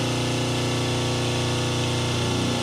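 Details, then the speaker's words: 5 hp three-phase motor on single-phase 220 V with run and start capacitors balancing phases (about 209, 194, 206 V): steady low electrical hum, fixed buzzy tone, softer than before; phase voltage imbalance hum. "the sound is softer, the motor vibration, the humm I had before is already a little softer with these two."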